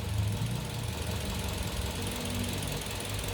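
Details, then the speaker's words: Kia New Carens 2.0 LPI engine at idle after spark plug replacement: steady, even low rumble with no stumbles; the earlier misfire/rough idle (engine bujo) was caused by faulty spark plugs and is now gone. "네 이제 다 정상으로 돌아 왔네요 점화 플러그가 문제 했네요"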